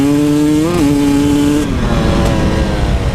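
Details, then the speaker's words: 2017 KTM 300 XCW carbureted two-stroke: crisp buzz blips up, then turns blubbery and uneven at partial throttle. The 2018 model changed the intake angle by 7 degrees. "So I don't know if how many of you have picked up yet, but under partial throttle you could hear the engine being kind of like blubbery a little bit."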